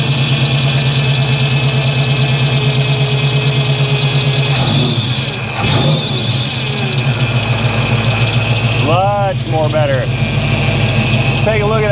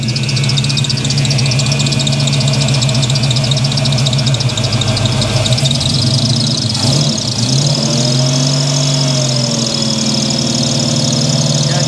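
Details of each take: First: 1983 Chevrolet C10, 350 small block V8 with new Holley 4-barrel carburetor: revs cleanly on throttle blips, settles back without stumbling or popping; backfire fixed, running healthy. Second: 1983 Chevy C10 with 350 small block V8, sat unused for a couple of years: loud, lumpy, rich-smelling idle with uneven stumbling beat; the two primary carburetor jets dribble and dump gasoline with no spray pattern instead of atomizing, causing rough running.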